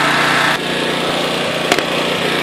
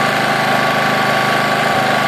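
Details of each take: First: Honda EX800 generator after tune-up and governor adjusted toward 60 Hz, with a tool running in the background: steady even buzz under load, no surging or missing; normal running. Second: Honda EX800 generator after tune-up, just started: steady single-cylinder drone at low even speed with no hunting; Hertz meter reads 50 Hz instead of 60, governor set slow; running underspeed.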